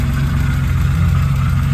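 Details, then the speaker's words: BMW E36 drift car with a 2.3 straight-six and an aluminium flywheel, started first turn of the key after standing years in a yard. It settles into a low, even idle with a steady rumble and no misses or knocks, sounding healthy. "Um but yeah, she's idling. Well, look at that."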